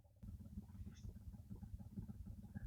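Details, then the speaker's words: 2016 Nissan Murano cabin blower fan before replacement, run at low speed, where it is much worse than at high speed: a quiet, uneven low fluttering and scratchy rumble from a worn, noisy blower motor. "So if it's high speed, it's not too terrible, but if we go a low speed, it is really bad, and I hope you can hear"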